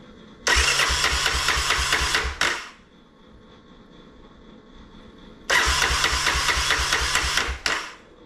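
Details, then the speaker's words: Vintage Honda ATC 250SX three-wheeler during restoration, start attempt after leak check: single-cylinder engine catches, runs roughly about two seconds, dies, fires again and stalls; won't keep running, owner wonders if everything is plugged back in. "up hm that's not good have I got everything pluged back in"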